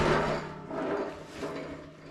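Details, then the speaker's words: John Deere 4020 tractor fuel sending unit being tipped about: loose dull rattle and rolling clatter of a broken internal piece; something broke inside, so the fuel gauge sender will be replaced. "Yeah, something broke inside there, so yeah, I may as well just go ahead and stick a new one in."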